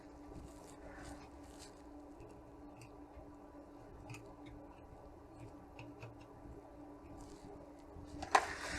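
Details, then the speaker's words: Sony PlayStation power supply under repair with a suspect capacitor, just plugged in: faint steady high-pitched whine over quiet room noise; switching power supply whine. "okay it starts of course i can hear it whinging away"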